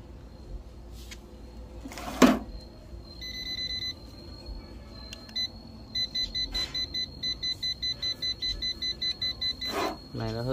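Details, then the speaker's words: HUKAN remote-controlled laser level, 5-line model: rapid high chirps, about four a second, repeating steadily. This is the tilt warning, sounding because the unit is out of level. "nó hơi bị nghiêng khi mà nó bị nghiêng này thì nó sẽ kêu như mày ra nhé nó Kêu chít chít này"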